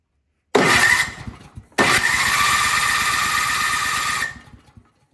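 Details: Craftsman snowblower that would not start, given a shot of starting fluid; catches, runs a few seconds, then sputters out each time, so the carburetor isn't feeding fuel (later replaced).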